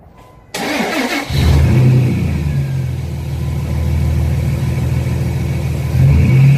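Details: Dodge Dakota 3.7 V6 run with no oil after low oil pressure: cranks, catches and idles with a deep heavy knock about four a second through a brief rev. Rod knock, needs a new motor.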